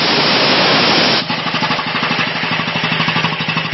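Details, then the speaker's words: Quincy QR 325 air compressor running with a new, larger 6.75-inch pulley: a steady pumping beat with a faint buzzy shake; there is a fine vibration, and the owner may drop it down to the next hole. "A little bit of concern here is that this is uh vibrates. It's got a fine vibration to it."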